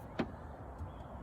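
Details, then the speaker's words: Citroen C1 driver's door after check strap replacement: door swings with one crisp detent click and a softer second one, no creak or groan; the strap had let the door open without notches, and the action is now much improved. "Much improved. Much nicer action on that. Happy days."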